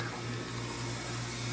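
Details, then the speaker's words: Ice-O-Matic ice machine entering harvest after an 11 min 36 s freeze: steady rush of flowing water over a low, even motor hum, hot gas hissing through the harvest valve; ice dropped after 2 min 27 s, machine working normally. "you can actually put your hand on that line and feel the hot gas refrigerant flowing through you can hear it hissing in about a minute or so that ice should drop and we'll be good to go"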